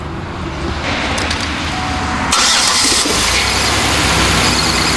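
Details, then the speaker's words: GM 3.8 V6 in a Buick Lucerne that cranked but would not start; a crank sensor was suspected. After a 15 A fuse was fitted, spark returned and the plugs were reconnected. Starter whirrs briefly, then the engine catches and settles into a steady, even idle. "I definitely had a spark let's hook our plugs back up it'll probably run all right I bet it'll run now"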